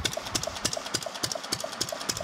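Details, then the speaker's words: Fairbanks-Morse Model Z throttled-governor engine, just hooked to fuel, freewheeling with no load: sharp even clicks about three a second over a soft chuffing beat; running healthy and in good shape. "but it basically runs and is in good shape really cool to have this thing around"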